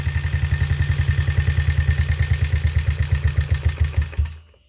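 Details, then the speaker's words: Honda CRF50/XR50 small single after valve adjustment: idles with rapid sharp ticking on every firing pulse before shutting off; valves set too loose, now running better but sounding bad. "I mean, the valves sound horrible, but the bike's running better."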